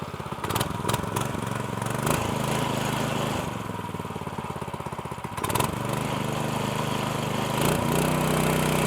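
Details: Newly installed small single-cylinder pull-start go-kart engine with new CVT, fuel switched on, catches and settles into a steady popping idle, then climbs briefly with throttle; runs cleanly.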